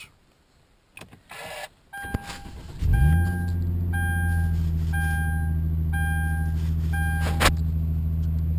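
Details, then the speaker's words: 2011 Hyundai Genesis Coupe cold start after weeks around -7 to -14 °C, having sat covered: brief crank, catches at once, steady even idle with a cabin chime; transmission stays engaged in neutral when cold; normal cold start. "not bad started up just fine which is okay for me"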